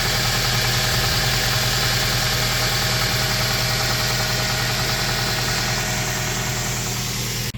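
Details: 2001 Toyota Tacoma, 220k miles with little maintenance, after fixing a P0303 misfire with new coil packs: smooth, even idle with a steady low hum and no stumbles. It is no longer misfiring and runs better than in years.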